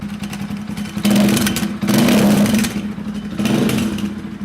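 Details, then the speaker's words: Rusi Classic 250 single-cylinder motorcycle with aftermarket exhaust: loud raspy exhaust swelling in blips with faint clatter underneath; the fitted silencer (dB killer) insert is not fixed and moving. Loose exhaust silencer insert, removed again. "moving. The silencer is not fixed. So what do? We remove that again."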